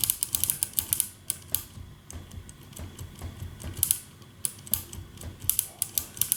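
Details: 1974 Harman Kardon 730 Twin Powered receiver, after cleaning all switches and closing the case: one switch still crackles and pops irregularly in bursts as it is worked, dirty contacts; more contact spray tried, owner doubts it will help.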